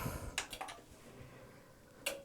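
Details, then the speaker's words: Toshiba RD-XV50KF DVD/VCR/HDD recorder at switch-on: only a couple of sharp dry relay clicks then near silence, though lights flash and a fan later spins; unit clicks but won't properly power up. "it clicks it clicks but that's pretty much all"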